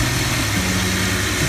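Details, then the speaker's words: 2004 Jeep WJ 4.0 idling after new power steering lines installed: smooth even idle, faint steady hum, no groan or whine; pump was noisy with reservoir bubbles at first start, now quiet, air suspected. "I don't see any leaks, but when I first started it up, the power steering unit was making a lot of noise. And I noticed they're not there now, but there was a lot of bubbles in the reservoir. Now it's quietened down."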